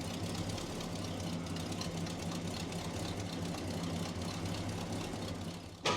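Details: 1967 Ford F100 half-ton pickup V8; deep, steady idle with an even low rumble and no knocks or misses; normal idle of a healthy-running classic truck.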